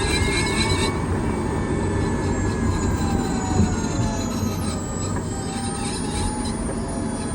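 Steady rolling roar with a thin metallic squeal and grind whose pitch slides with road speed, so something is rubbing while driving.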